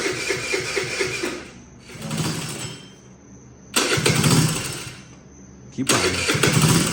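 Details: Bintelli 50cc scooter test start after carburetor replacement, still on the old spark plug: it catches readily and runs in strong revving bursts with easing between them, starting and running fine.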